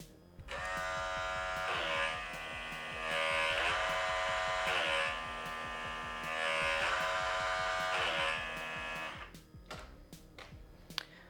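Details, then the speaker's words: BMW S1000RR during a brake fluid flush, with the ABS pump actuated by the GS-911 tool while the front brake lever is pumped three times: the electric pump buzzes steadily about eight seconds, dipping in pitch with each squeeze; normal ABS cycling. "The way that this works is you're going to hear the ABS pump actuate, and you're going to pump the front brake."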